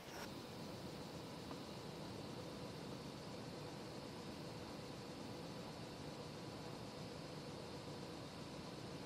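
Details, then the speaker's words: Creality CR6 SE 3D printer after fitting Noctua fans, power supply fan running: soft, even airy hiss with no ticking, buzz or rattle. Level dropped from about 52 to 42 dB; only the hotend fan is audible. Quiet fan, normal. "it is totally different it's like totally silent now i can't hear anything apart from the hot end fan"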